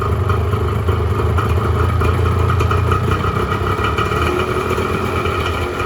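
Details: 1986 Honda NS400R 400cc two-stroke triple kicked over after 11 months unused, fan cooling the radiator; crackly, ringing idle evens out as all three cylinders pick up, no rattle or knock; healthy start-up, though oil light stays on (owner suspects sensor connection).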